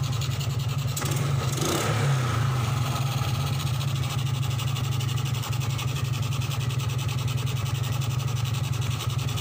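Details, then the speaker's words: 2003 Suzuki Smash 110 after charging system repair, battery disconnected: picks up cleanly on a blip and settles to steady even idle with no stutter; charging system now normal. "Ini aki belum terpasang ya, jadi ini terminalnya saya copot, nggak pakai aki istilahnya, tapi ini bisa menyala normal. Kalau digeber ini nggak berbet ya."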